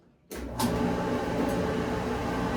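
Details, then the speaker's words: Maytag electric dryer after removing the cause of thumping noise: starts and settles into even tumbling rumble, no thumping, scraping or squeal; drum runs smoothly, normal. "Oh, yeah. That's what I'm talking about. Smooth as silk. Listen to that. She's a runner, guys. Okay, no more bumpy ride."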